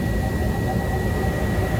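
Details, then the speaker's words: Ice-rink skate room furnace after repair, heard from the party room after running a while, room at 54 degrees with thermostat set for 66: steady, even rushing roar with a faint constant high tone, no rattles or scraping; blower running normally. "You can hear the heater. You can definitely smell the heater. It has been running for a while."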